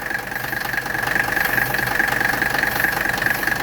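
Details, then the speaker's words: 1985 Mercedes 300TD W123 diesel wagon idling during R12 charging of its overhauled AC system, just as the AC compressor kicks on and pulls refrigerant in fast: steady diesel clatter with an even high whine on top. Healthy idle with the compressor running. "we're going to hear the AC compressor kick on there it went the compressor just kicked on man it's sucking that stuff in fast"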